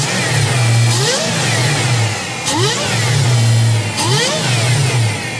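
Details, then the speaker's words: Supercharged 2003 Infiniti Q45 Premium, started after sitting for months, revved from the manual throttle body: three sharp blips with rising blower whine, clean drop back to idle, healthy; belt tensioner seen jumping. "Yo, I love superchargers. And now that I've heard it, I'm not sure I want to sell it now."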